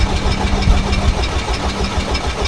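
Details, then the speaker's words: VW Golf GTI after fresh 5W40 oil fill, coil packs disconnected so it won't fire, in neutral: even rhythmic starter churning with steady compression pulses, no knocking or grinding, 10–15 seconds; normal cranking. "once I was pretty happy that we cranked it for 10 to 15 seconds without any weird noises, we could then go ahead and reconnect the coil packs."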